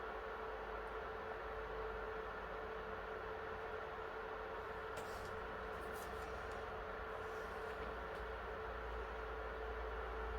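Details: PS3 after NEC/TOKIN capacitor repair, previously shutting down on PS2 Classics and demanding games, now running a PS2 game (Grand Theft Auto) under load: steady smooth fan whoosh with faint constant tone, no surging, rattling or shutdown beeps; cooling normal.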